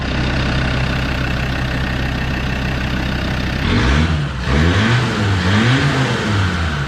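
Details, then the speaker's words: Land Rover Discovery 2 diesel just restarted after warped exhaust manifold replaced and EGR blanked off, not yet warm: even diesel clatter at steady idle, light rev blip settling smoothly, no exhaust ticking or leaks; normal idle. "There you go, guys. So it's up and running. Hopefully you can hear me over that bracket."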